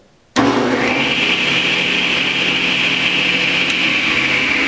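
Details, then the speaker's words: Delta Unisaw repulsion-induction bullet motor after brush ring adjustment and a tightened shorting necklace spring: snaps on and reaches full speed almost instantly, then holds a steady, even whir with none of the earlier growling. Clean startup after repair. "gets up to speed very quickly there's none of that sort of growling that you were here in with those earlier videos"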